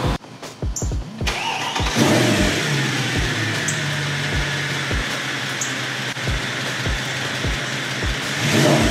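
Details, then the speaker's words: Mercedes-Benz M156 V8 (E63 AMG) after cam adjuster pin flip repair, adjuster reinstalled on driver's side bank. Starter cranks briefly, engine catches and settles into a steady, throaty idle with no startup click-clack rattle from the cam adjusters. "We installed the cam adjuster on the driver's side bank. So let's see what we get. Let's crank it up, see if everything works."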